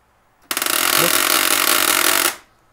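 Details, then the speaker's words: HP LaserJet P1102W printer at power-on: loud harsh rattling grind for about two seconds then stops; jammed gear, possibly from a forcefully inserted compatible toner cartridge. "Did you hear the voice? The sound is very irritating. Why this sound is creating noisy and very very huge voice, I will tell you now."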